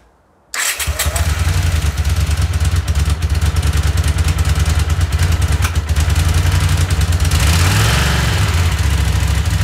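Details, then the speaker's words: Honda CX500 vintage motorcycle after carbs cleaned again and ultrasonically cleaned parts swapped, following ignition repair: lumpy idle with an intermittent pop every so often on one side; owner suspects a vacuum issue; cause unclear. "foreign so I'm not really sure what's going on there's still that weird popping sound you hear I still think something to do with the vacuum for some reason on this side you can hear it popping every now and again"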